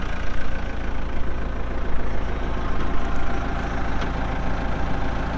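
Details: 2014 Kubota M8560 2WD tractor, 1,376 hours: steady low diesel rumble at even idle with no knocks, misses or rattles; engine idles healthy.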